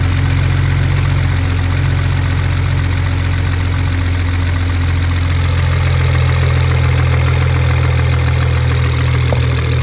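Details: BMW 335i N54 engine at idle: loud steady idle with a faint, fast tick about three per second. Owner wonders about valve tapping or a rod bearing, and the injectors are also suspected of pinging; engine ticking of unconfirmed cause.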